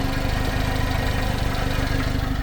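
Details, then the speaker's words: Subaru Sambar crane truck, engine cover open, with new plug wires: steady, low, even idle with no ticking or knocking; no blowby, wet exhaust or valve cover leaks, normal idle. "All right, this thing runs excellent. See no blowby, no wet exhaust, no oil, no leakage, no seepage here around the valve covers. Listen to that motor."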